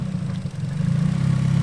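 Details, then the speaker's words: Nissan Silvia S14 (EBISU) with HKS cams, misfiring: lumpy, uneven idle with revs dipping and wavering before settling ragged; owners suspect a small vacuum leak, MAF also questioned; engine mounts worn. "See, she does have a little trouble idling. We suspect there might be a small vacuum leak somewhere."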